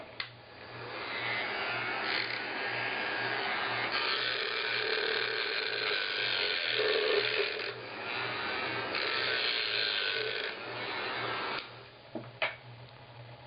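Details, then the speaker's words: Weller heat gun (6966C) running: steady motor whir with a fast ratcheting rattle that comes and goes, sometimes only when the gun is moved; second time it has happened, something loose inside, not a wiring fault; temporary patch fix. "okay that's a little concerning right when you know something electrical starts making a sound like that it's not good"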